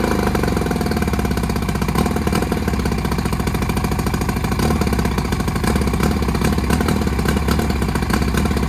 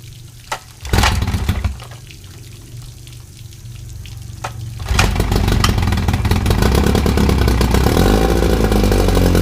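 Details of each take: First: 1959 or 1960 Evinrude 10 hp two-stroke outboard with magneto points ignition, before repair: fast putter that now and then skips a beat; ignition misfire. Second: 1959 Evinrude 10 hp two-stroke outboard on flush plate, after magneto ignition rebuild with new points and condensers gapped 0.020 in: catches and idles down to a rapid, even buzz; carburetor may need slight tuning.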